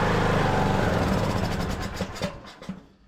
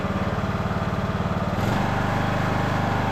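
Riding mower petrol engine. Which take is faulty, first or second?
first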